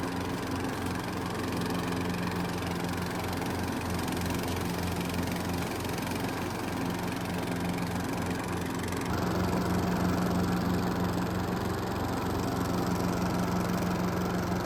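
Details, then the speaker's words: Neglected lawn tractor, small single-cylinder engine, after a quick fix: the PTO belt had been flying off when the blades engaged because leaves jammed the linkages. Steady, slightly rough drone loads up with a faint high whine as the blades engage. "There you have it, folks. She is back in action. She is hurting a little bit, but I tell you, that was kind of a quick and easy fix."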